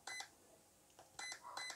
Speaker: okay two beeps we want we want it to be four beeps